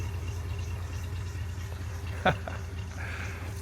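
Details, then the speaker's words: International truck with out-of-box Holley carburetor, idling low and smooth like a sewing machine with little engine noise; a belt makes slight noise and water pump may sound crunchy: normal idle. "But listen to that thing just idle like a sewing machine, man. It's outstanding. Very, very little engine noise, especially for an international."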